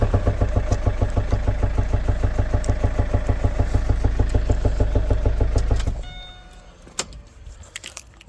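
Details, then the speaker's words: Engine knock heard about a week after the car was serviced without changing the oil filter; comes and goes, heard on morning cold start and fading after a couple of minutes. Strong regular low thumping, about three beats a second, until switched off. Cause suspected, not confirmed. "Then fast forward 1 week later, we started hearing the sound from the engine. I'm gonna share the video of the sound."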